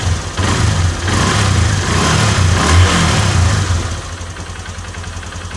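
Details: Honda Verza 150 single-cylinder motorcycle after top-set piston kit replacement, previously run low on oil with rough noise traced to the piston: crisp, even rev rising and settling to smooth idle, no knock or rattle; normal revving.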